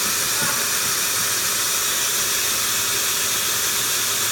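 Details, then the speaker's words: 1979 Toyota FJ40 Land Cruiser exhaust pressurized with a vacuum for a soapy-water leak check: loud, steady, airy hiss as gas escapes at the exhaust manifold gasket; the plan is to remove the intake and exhaust manifolds and replace the gasket. "it looks like I'll be taking off the intake and exhaust manifold and looks like we'll be putting the gasket between the intake in the exhaust manifold"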